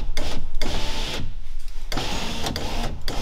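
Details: VW Golf 3 electric window regulator: short bursts of motor whirring with clicks between but no travel sound; motor runs yet the glass neither raises nor lowers.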